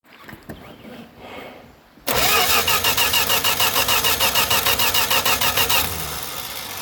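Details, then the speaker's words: 1965 Dodge Dart with MSD 6AL ignition: engine cranks at a steady, even churn for several seconds but never catches; Edelbrock electric fuel pump not running though it gets 12 V, failed after about 10 uses, so no fuel is reaching the engine. "still not drawing gas into the fuel thing you like you said I think the freaking fuel pump is off I don't hear it either"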